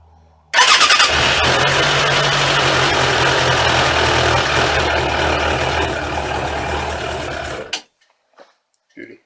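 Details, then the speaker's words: Suzuki Katana motorcycle with a Ballistic battery, after idling three minutes following its first spring start after winter storage: catches immediately on the first crank and settles into a steady, even idle before shutdown; healthy warm restart. "I've left the bike idle now for three minutes so this thing should uh straight up really easily now"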